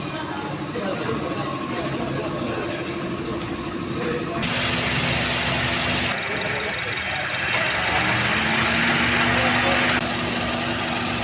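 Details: Honda CR-V Gen 3 2.0 idling after its noisy compressor (metal debris in the system) was replaced with a genuine Sanden compressor and condenser: smooth idle shifting tone cleanly as the AC cycles on and off, no knocking or growl.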